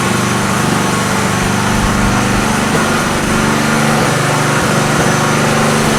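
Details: Engine running on a homemade tri-fuel conversion kit; loud drone surging and wavering unevenly, hunting: rough running. Owner suspects the hose's tiny inner diameter restricts fuel flow; unconfirmed.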